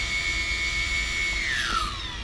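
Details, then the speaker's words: Old 3D Robotics Iris+ drone armed without props after satellite lock, four motors on throttle; high steady whine sliding down smoothly as throttle drops, all even, nothing rough; motors working. "We got 4 motors. We got throttle control. You can hear the motors all spinning different, so it's working. Good."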